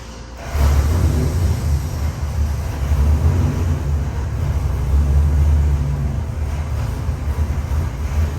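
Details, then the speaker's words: Customer's freshened 441ci LS7 stroker V8 (re-ringed, new bearings, heads redone, new port-matched intake, same cam) on the dyno, final pull to 6,500 rpm; loud steady deep roar holds hard and even, no knocks or misfires, a normal full-throttle run. "Alright, Luke, we got your LS7 engine on the dyno that we redone for you. Put the new intake and port matched it. We're going to do a final pull of 6,500."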